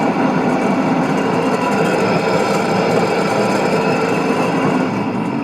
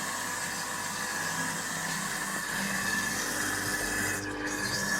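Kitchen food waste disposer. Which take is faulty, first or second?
first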